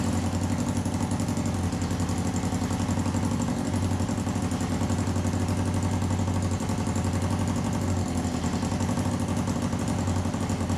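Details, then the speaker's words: 1954 Johnson Seahorse 3hp two-cylinder two-stroke outboard, long unused, after cleaning the fuel tank, setting the points and the carburetor; choke out, vent open, on start, a fast steady buzz holds an even beat with no stalling or surging, running properly. "we're on start think it's going to take right off I mean that's a good sign"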